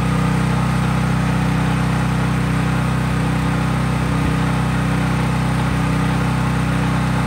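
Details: Craftsman 5000 W generator at full speed with only an LED bulb plugged in, effectively no load: steady, even drone at constant speed, no hunting, misses or rattles; normal no-load running.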